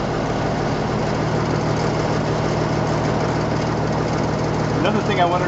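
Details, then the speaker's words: M35A2 deuce and a half diesel after fitting an AeroTurbine 3535XL muffler: low even rumble at idle, steady exhaust note, no knocks or rattles; much quieter idle with a throaty growl, healthy. "in the cab whereas you couldn't kind of hear them very well before and now um at idle it's it's much much quieter but there's that throy grow"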